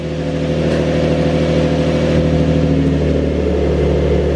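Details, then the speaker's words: Nissan 350Z/G35 V6 idling cold in a small garage after camshaft position sensor replacement: slightly raised, steady, even hum with no knocks or misses; sounds healthy, problem appears fixed. "looks good. The car is cold, but I mean everything's looking good, honestly."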